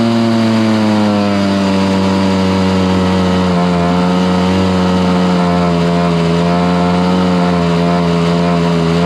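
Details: Stihl BR430 two-stroke blower, restarted after a few days on choke and primed with low fuel. It gives a loud, steady drone that sags slightly and can't reach full revs, bogging at full throttle. The suspected tank vent was ruled out by opening the tank, so a carburetor rebuild is planned.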